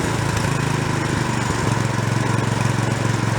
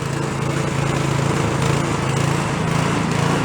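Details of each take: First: Free small snow blower found roadside, after warm-up: small single-cylinder holds a steady, even low putter at idle with no hunting or surging; idle circuit now working. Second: Small roadside snow blower running on choke after carb hardware refitted: busy uneven note swelling and sagging, hunting and won't idle; idle circuit not working, likely part of why it runs poorly.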